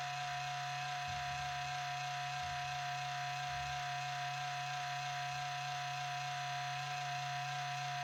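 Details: 4-year-old HP Pavilion 15-209tx laptop (i7-5500U, GeForce 840M, 1TB HDD) at boot, noise started after a cleaning a month ago and is getting louder and longer: steady electrical whir with a low hum that eventually quiets, source unclear.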